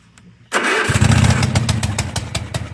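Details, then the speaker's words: Cub Cadet zero-turn mower, first start after oil change, new fuel filter and jumped dead battery: catches after a brief crank and settles into a loud, raspy, popping exhaust beat. "let see let's get it fired up it's going to get really loud for a second"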